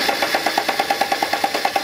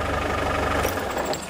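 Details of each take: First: Land Rover Defender diesel stranded on a trip, with a replacement pump fitted bypassing the old injection pump: steady rhythmic cranking at about three beats a second that never catches; cranks but won't start. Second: Land Rover Defender diesel at idle after installing replacement fuel cutoff solenoid, wired from starter switch cable via electric fuel pump feed, with mechanical fuel pump: steady even clatter, no odd knocks; fix successful, runs properly.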